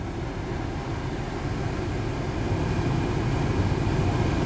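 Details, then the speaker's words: Heater blower with an intermittent fault (owner suspects the relay or a dead spot on the motor commutator), microphone close to the blower, recirculation button pressed: steady low whoosh builds louder over a few seconds as the blower runs faster and moves more air. "It's stronger. I will stop it. See how it quiets down? I'm still feeling the heat coming out, but it sounds like it makes the blower blow harder."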